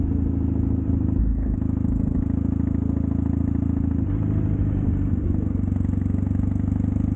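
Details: Triumph Bonneville T100 with drag pipes after air baffle removal and stage 4 ECU tune, riding: deep even grumble, steady firing with no pops or backfires; backfiring and popping cured, torque back.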